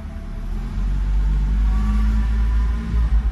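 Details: Noisy car AC compressor gives a heavy low rumble with a droning growl from the engine bay, louder when revved; it was not noisy before.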